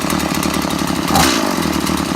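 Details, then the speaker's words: Stihl MS 180 chainsaw after cleaning and reassembly; raspy two-stroke idle picks up smoothly on a throttle blip and settles evenly; runs nicely. "just at the carburetor now it runs quite nicely"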